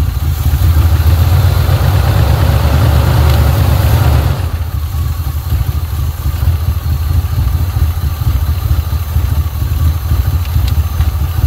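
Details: 1980 Pontiac Trans Am Turbo 301 V8 idling after its first start in about 18 years: a deep, steady, even rumble with no misses, knocks or ticks that settles after a blip. Normal, smooth idle.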